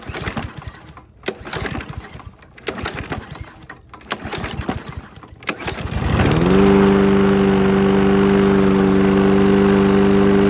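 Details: Toro lawnmower with a Briggs & Stratton engine that ran rough and was hard to start, after its plastic carburetor was reinstalled: pull-cord tugs, then it catches and settles into a steady, even drone with a constant pitch. It now runs smoothly.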